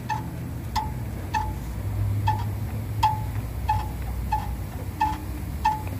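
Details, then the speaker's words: Ford F-150 with heavily rusted underside and poorly designed kit: light metallic clinks about every two-thirds of a second over low road rumble; front differential not held by its mount, which is loose. "pero este este diseño está muy mal este kit porque pues no está agarrado el diferencial mira"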